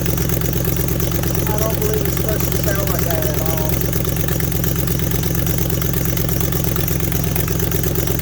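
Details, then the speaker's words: 2005 Ford F-150 4.6L V8 at idle: steady idle with fast, sharp ticking on each firing pulse from a crack at the donut joint of the exhaust manifold; exhaust manifold leak, fixed by replacing the manifold. "As you can tell from the intro, this one has a very bad exhaust leak."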